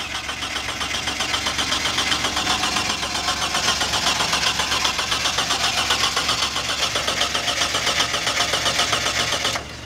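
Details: Mitsubishi Shogun V6 engine: starter turns it over evenly at about four beats a second for ten seconds, but it never fires or catches. Cranks, no start.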